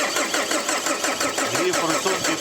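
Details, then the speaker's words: 2008 Opel Signum Z19DTH diesel, automatic, won't start cold: steady starter cranking with even compression beats about six a second and no firing; rail pressure falls short of target and injectors are tested. "Ну, оскільки тиску у нас немає в рампі, зараз протестуємо форсунки. Крутим стартером"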